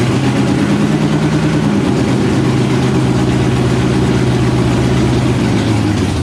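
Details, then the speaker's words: Stroker Windsor V8 in a Fox Body, first start after install: lumpy, uneven idle with pitch dipping and wandering instead of settling; needs throttle babysitting, won't hold idle by itself. "by the time I left we had that engine fired it still wants to be babysat a little bit on the frontal it doesn't really want to idle"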